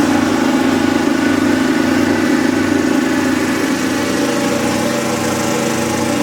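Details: Kubota riding mower, sat years after dying with a horrible noise, runs steady with rough tick about two per second over the exhaust; owner calls it a horrible lifter tick and suspects a slightly bent valve.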